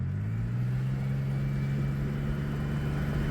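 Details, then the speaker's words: Freshly rebuilt engine on its first test drive: deep drone with a low rumble under throttle, revs up to about 3,000 rpm; an exhaust leak is heard when the throttle is pressed. "you can definitely hear that I have an exhaust leak when I put my foot on the"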